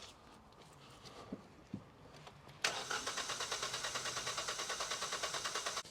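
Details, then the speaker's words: Abandoned Hyundai small car, non-runner: even starter whirr at about two beats a second, cranking with no firing. Injectors suspected, possibly cylinders 3 and 4; crank, no start. "I just wanted to wiang it over there to prove that it wasn't going to start to myself"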